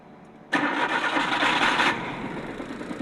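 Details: DA52T that would not start and had low power with a check-engine light, after camshaft sensor replacement and injector/common-rail pressure checks: brief crank, then it catches at once and settles within about a second to a smooth, steady idle. Normal start.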